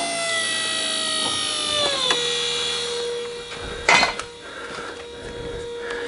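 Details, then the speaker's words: 1993 Mercedes E320 convertible after a restored hydraulic cylinder and bow latch install: the roof hydraulic pump is run by jumping relay terminals 30 and 97, giving a steady electric whine that settles to an even pitch as pressure builds. Normal operation. "now what I do is jump out of the real light here on the pump number 30 and 97 which is here in here and we run the pump"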